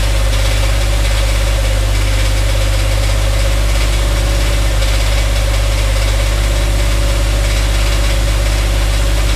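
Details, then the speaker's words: Dodge Dakota 5.9L 360 Magnum V8, truck raised, idling: loud even idle with regular deep knock about three per second, loudest on transmission; bottom end or transmission suspected, not confirmed, converter to be unbolted to isolate. "all right so you guys heard that noise coming when we turn over the engine so since it's hard to determine whether it's coming from the engine or the transmission"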